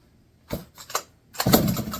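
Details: Barn-find McCulloch 1-80 chainsaw, first run in 30-40 years, with spark and compression confirmed, a correct carburetor fitted and no exhaust. Two sharp pops, then a raspy unmuffled burst as it fires and briefly runs.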